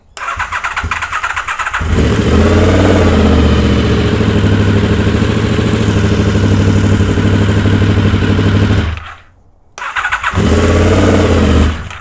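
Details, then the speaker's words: Honda VFR750 with carburettor flat spot, after correcting swapped coil wires: cranks, catches, stumbles unevenly on one or two cylinders then picks up to a fuller beat; carbs not yet filled through fuel cut relay. "and then the next thing you know it doesn't want to run and it's only running on one or two cylinders and then boom kicks right in like you saw so that's what that was"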